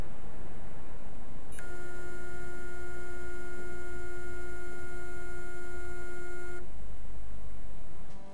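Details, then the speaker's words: External backup hard drive that fell about 30 cm from a PC and is no longer recognised: steady low beep-buzz for about five seconds, then stops; read head appears stuck mid-platter. "mich hört sich so an als würde der kopf irgendwo hier in der mitte feststecken und genau das problem wollen wir jetzt beheben"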